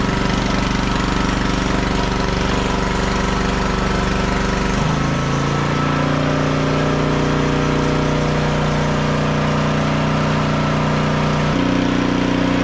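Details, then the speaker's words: 1500 W auction generator under heat-gun load (1350 W setting; 2000 W setting also tried briefly, too much): buzzing note sags as load comes on, settles and holds, lifts when load drops; bench rattle only; copes fine. "at 1350 WS on that heat gun it would run all day so yeah I'm going to call this little one done"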